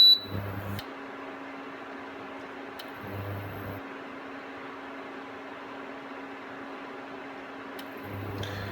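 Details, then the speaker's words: Aldi Ambiano single induction hob turned down to 600 watts: low coil buzz switches on for about a second roughly every five seconds over faint fan hiss, cycling on and off instead of holding low power. "And now at 600 watts, you can hear the buzzing noise switch on off. So it's off, running, off, running."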